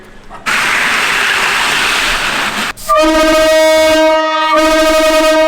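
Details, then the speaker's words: Truck train horn with one air manifold: long air hiss then a thin steady tone from only a couple of bells, because not enough air reaches it. "there's not enough air going to it so it's not firing off all the bells it's only firing off a couple"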